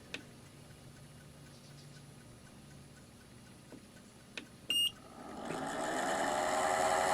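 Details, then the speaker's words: Aldi Adventuridge thermoelectric cooler, previously dead with a suspected failed internal power supply, run on DC from a portable power station drawing 57–58 W: quiet hum, beeps, then a loud, harsh rising rushing whir; worn, noisy cooling fan. "Oh, it's angry, but it works. So my diagnosis was correct. The fan is very noisy. That's more what it sounds like. It's worn."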